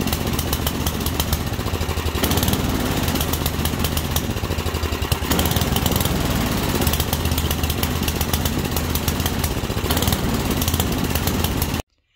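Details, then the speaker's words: Carbureted engine with the carburetor deliberately richened: on a throttle snap the revs jump up, then sag and labor, bogging instead of clearing crisply, and may shoot black soot; a rich mixture condition. "you go that was a wrist condition so how can you tell that's a rich condition so you can see kind of how uh it's the opposite of the lean condition when you snap the throttle it doesn't fall flat on its face it responds jumps up but then as soon as it responds jumps up grabs that rpm it falls flat on its face"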